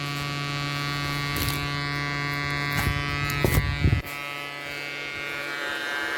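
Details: Bridge SB-3500 DP amplifier under repair: steady low mains hum with buzzy edge through the speaker plus handling knocks; amplifier hum fault.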